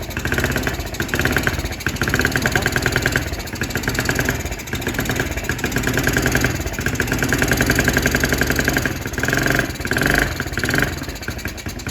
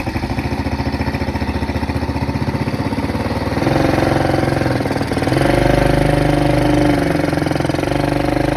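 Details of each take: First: Kids' Chinese ATV at first start on the old carburetor: the small single runs rough and uneven, revs hunting and surging, while the carb drips fuel badly and the engine is shut off. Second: Kids' Chinese ATV on a test drive after warm-up, following a repair with a new carburetor: an even single-cylinder thump near three beats a second picks up cleanly under throttle with no misses or knocks. It runs well.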